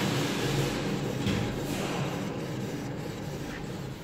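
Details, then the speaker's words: Renault Clio III rear wheel, hand on axle while spinning wheel by hand: coarse low rumble fading as wheel slows, vibration felt in hand, worn wheel bearing; customer complained of abnormal noise, drum then removed. "c'est simple rajout la main sur sur l' axe et je fais tourner la roue et là ça vibre ça vivre dans la main donc le roulement est mort"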